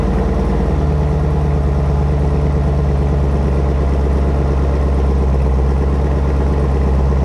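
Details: Camaro ZL1 1LE V8, started after 6 months of storage, tank full of ethanol-free 93 octane: catches within a second and settles straight into a deep, steady idle with no misses or knocks. Normal cold start.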